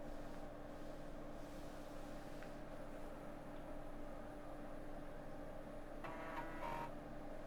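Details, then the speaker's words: Floppy drive in a quad-floppy PC after a hard power-off reset, seeking while trying to read a disk; faint background hum then a short run of quick buzzy head-stepping chatter; normal floppy drive seek. "hear the drive seek there he's trying to read from the go Tech"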